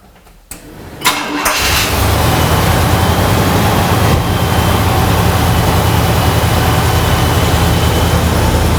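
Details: 1976 Cadillac Series 60 Fleetwood Brougham, first start after muffler and resonator replacement: starter cranks briefly, V8 catches and settles into a smooth, deep burble with no rasp or leaks; exhaust sounds healthy.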